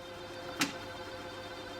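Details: JVC KD-W110 double cassette deck during high-speed dubbing: thin, steady squeal from the tape mechanism, broken once by a sharp click.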